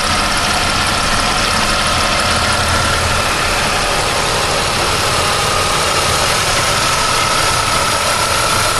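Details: 1999 Pontiac Firebird at idle: a constant high-pitched whine over a hissy, busy engine sound; something seems a little loose, source not identified.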